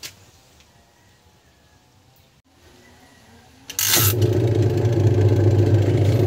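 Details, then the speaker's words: Washing machine after replacing wash timer and blown motor capacitor: motor starts and settles into steady even hum with regular agitator swishes turning both directions; no longer just humming without turning. "yan maganda na yung ikot niya tapos dalawang dalawang side na rin yung ikot niya and hindi na umuugong lang yung makina niya dumidiretso na siya"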